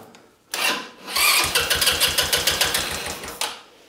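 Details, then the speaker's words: Buggy engine just installed in restoration, idle screw previously backed off and mixture already corrected: catches and chugs unevenly about two seconds then dies; idle speed possibly too low, more idle needed; stalls. "ist halt die Frage ob Standgas nicht zu niedrig ist weil ich das zurückgeschraubt habe ne hat was getan möchte ja wir brauchen ein bisschen Standgas"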